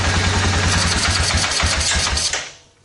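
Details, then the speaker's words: 2002 Suzuki Vinson 500 ATV single-cylinder with vacuum hose to fuel shutoff valve uncovered: lumpy, uneven idle about three pulses a second, stumbles and dies; major vacuum leak inside shutoff valve, diaphragm suspected holed, carb idle circuit suspected plugged. "you open that up that's how it was idling before and it kept wanting to die so that tells me there's a major vacuum leak inside the shutoff valve"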